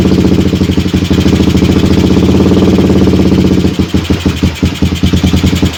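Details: Suzuki Satria FU single on its standard CDI, long unused, with a shifted magnet/pickup suspected: uneven idle that turns choppy past midway, with firing dropping out. Intermittent misfire; owner suspects long disuse, cause unconfirmed.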